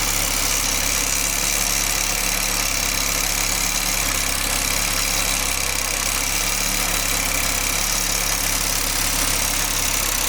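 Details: Audi 20V turbo engine idling: hissy, airy rush with a faint low hum pulsing every couple of seconds, apparently from the exhaust area. The turbo was already removed and overhauled and was not the cause; source unknown.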